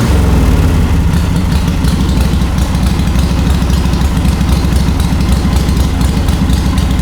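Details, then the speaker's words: Warm, ridden 1939 Harley-Davidson EL Knucklehead V-twin, about 12–14,000 miles since restoration, spark retarded, idle lowered, pipes covered: low smooth even idle, no gear whine or pushrod clatter; healthy. "you can hear the motor no gear noise no push rod noise you can hardly even hear it going round and round and up and down guys i think runs excellent mechanical perfection"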